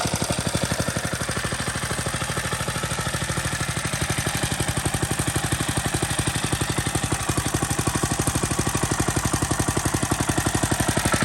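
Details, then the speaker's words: Grandpa's restored Merry Tiller single-cylinder engine, worn carb with choke wedged by wood, old spark plug still in, governor untuned: steady putter about four firings a second, no misses; runs well with good compression at low speed. "As you can see, it runs pretty good. I haven't even replaced the spark plug yet."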